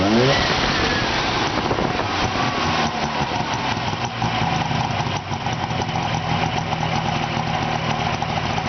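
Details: 1970 Subaru 350 Young two-cylinder after second rebuild, loose pulley that caused a strange noise fixed: engine catches and settles into an even idle on both cylinders, no knocks or misses; normal idle.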